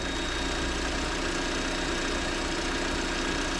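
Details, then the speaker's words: 2023 Lada Vesta NG automatic, checked for exhaust camshaft knock, cold just after start: uneven, lumpy idle with a wavering beat, engine visibly jerking while warming; rough idle, cause unclear. "кстати видите как он дёргается То есть он работает [музыка] неровно"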